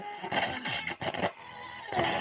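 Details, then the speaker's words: Ural-Auto 2 radio with a worn, squeaky tuning capacitor: station audio drops in and out with scratchy crackles while tuning, as the capacitor barely holds capacitance. "Так, ну диапазончик-то попал, но КПЕшка вся скрипит. Ну ее она было видно, что она скрипучая, но я вот сейчас включил, не думал, что настолько."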